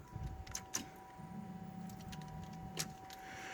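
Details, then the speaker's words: 1991 Chevy Caprice with an LS swap and new wiring, at key-on: a steady thin loud whistle holds over light clinks as the fuel pump kicks on and primes strongly; normal fuel pump priming. "Okay. If you didn't hear it, the fuel pump did just kick on. See if you can listen. You hear that loud whistle? So that means that is correct."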